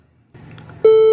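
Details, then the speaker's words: HP all-in-one PC at power-on, fitted with a non-original Dell 65 W adapter after the original HP adapter failed: loud, high-pitched beeps, three long then four short, with a blinking light; adapter problem suspected, 90 W adapter to be tried. "ये power on कर दिया है और ये बप आप सुन सकते हैं ये तीन लॉन्ग बीफ हो गया 1234 यह कर शॉट भी हो गया"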